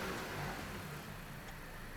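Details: 2007 Dodge Caliber after the throttle body was operated with reversed polarity and brought back: engine revs rise smoothly and settle cleanly without hesitation or misfire; throttle response normal, code 2119 still stored.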